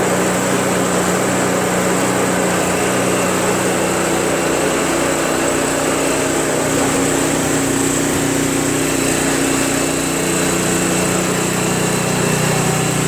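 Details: Craftsman Trac Plus 23" dual-stage snowblower, 5HP Tecumseh engine, cold first start after a year stored without stabilizer (tank was empty, fresh gas added, full choke): high steady idle with even beat, no stumbling or surging; runs well.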